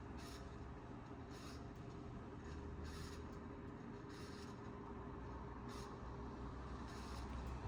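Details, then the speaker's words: 1992 Sears Roebuck 42-inch Hugger ceiling fan, model 689 11438, on medium speed (0.3 amps); steady motor hum under rough rumble with scraping surges about every second; badly worn bearings, oiling likely won't fix. "As you can see, it goes significantly faster on medium. These bearings are so bad."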